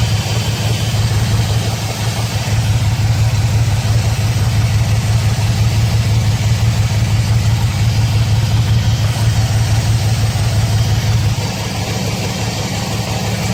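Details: 2006 Chevrolet Silverado 4.3 V6 rough, lumpy idle with a steady one-cylinder misfire, codes P0305 and P0200, check engine light blinking; failed injector, open harness or bad ECM signal suspected, not confirmed.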